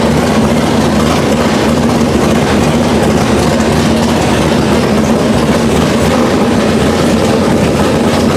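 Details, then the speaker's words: Chevelle V8 on a new Edelbrock Pro-Flo 4 EFI, first start, injection not yet fine-tuned, open headers: constant deep bark at steady speed, even throughout with no ticking or stumbling; healthy. "I don't know how it's going to sound how it's gonna come across because it did at the time still have open headers on it the car is obnoxious"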